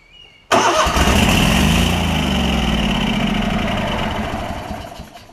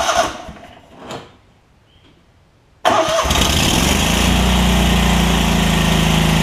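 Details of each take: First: Lincoln Ranger 8 welder-generator with a Kohler Command CH20 V-twin, primed with carb spray, catches and runs roughly for a few seconds, then winds down and dies. A stuck carburetor needle is starving it of fuel. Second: Lincoln Ranger 8 welder generator, Kohler CH20 V-twin after fuel pump, fuel line replacement and carb clean, air cleaner off: silence, quick crank, catches at once and settles into a steady even idle; normal start and idle.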